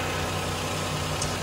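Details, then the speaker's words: Lexus RX330 after replacing a burnt 140 A fuse that had caused a no-start, jump-started on a low battery: steady, even engine hum with smooth low rumble, no misses or knocks; normal idle. "let's put the key in car starts switches his gears everything seems to work"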